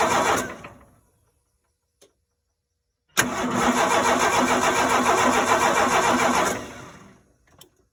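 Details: 4.9L (300) inline-six no-start: steady starter cranking about three and a half turns per second for three seconds, never catching or firing, then stops.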